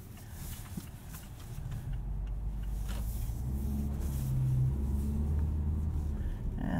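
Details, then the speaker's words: 2018 Mazda CX-3 AWD on standard all-season tires driving in deep snow, binaural in-ear microphones: over engine and snow noise, a low, steady buzzing drone for a couple of seconds as stability and traction control kick in. "You can hear stability control and traction control kicking in there, making terrible noises."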